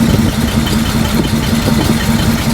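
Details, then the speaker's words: 1941 Chrysler flathead six coupe, 87-octane fuel, revived after about 30 years, running without choke: low, lumpy idle with a slight uneven rock; the ignition wires are very old and the cause is suspected, not confirmed. Oil pressure shows on the gauge. "It's got a little rock to it, but the ignition wires, they're pretty old."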